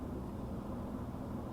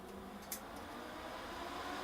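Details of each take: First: HP ProLiant DL380 G7 server, 24 GB RAM, no expansion cards, power saving mode, fans around 13%: soft steady whoosh with low hum, no ticking or surging, like a desktop computer; normal fan idle. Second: HP DL380 G7 server with 24GB RAM in power-saving mode, two fans removed: the rushing fan roar and whine climb steadily in pitch and loudness as the remaining four fans ramp to maximum speed.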